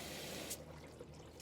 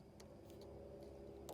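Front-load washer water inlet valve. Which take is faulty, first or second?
second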